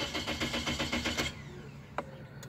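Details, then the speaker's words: 2006 Toyota Corolla S, cranks but won't run; scan-tool RPM reading drops intermittently to zero, so the crank position sensor is judged bad. The weakening battery drags: a quick, sluggish crank for about a second that never fires. "we got a bad crank position sensor so I'm gonna let the battery charge up again I heard it dragging a little bit more"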